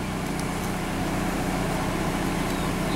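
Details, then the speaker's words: 2006 Dodge car at idle with fresh oil. Even, low hum with no misses or stumbles, just a faint exhaust note: running smoother. "I got it's running smoother beer take over to camera watch what you're doing"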